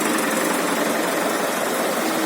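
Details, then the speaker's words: Hyundai HD72 diesel after an overhaul for an engine knock (head rebuilt, block sleeved, original pistons and rings fitted, crankshaft checked): quiet, even idle clatter with no knocking or smoke. "Мы его откапиталили, завели, все прекрасно, все тихо. Вы можете слушать. Дыма нет, все хорошо."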